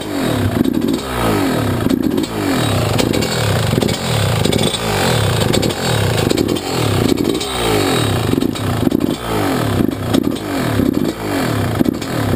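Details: YZ125 two-stroke, either the 2001 at its first start after a rebuild with a new Wiseco piston or the freshly rebuilt 1999: repeated crisp blips about once a second with a sharp ring-ding crackle, revving freely; healthy.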